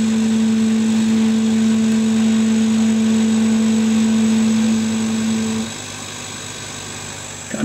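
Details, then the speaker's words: Chinese laser cutter run with RDWorks, cutting at 5 mm/s: a harsh buzzing rattle from the gantry stepper motor for about five seconds as it stop-starts, brakes and accelerator on at once. "you can hear the stepper motor making a hell of a rattle as it's trying to stop start stop start stop start it's got the brakes and the accelerator on at the same time"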